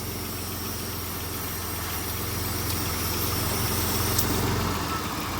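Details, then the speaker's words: Van nicknamed Kerry 2.0 on first start after repairs: steady idle with a constant airy hiss from a giant vacuum leak, a vacuum line left disconnected. "I know there's a giant vacuum leak right now. Yeah, there is. Hear that? So, I forgot to hook this up."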